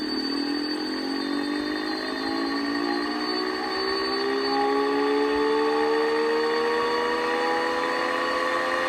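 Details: Pfeiffer TMU-1001P turbomolecular pump spinning up: several high steady whining tones rising in pitch as rotor gains speed; owner suspects bad bearing, unconfirmed.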